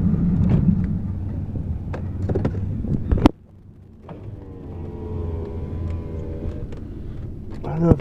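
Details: Truck driven slowly across a lot: low, uneven rumble with loose knocks from the driveline; owner thinks it probably should be replaced, cause unclear.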